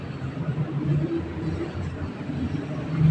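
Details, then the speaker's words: Motorcycle (Supremo) after its noisy worn starter gear was replaced with a new one, engine still warm. Quiet start and low, even idle rumble with no grinding or clatter from the starter: normal. "y lang oh oh ayos tahimik na sir"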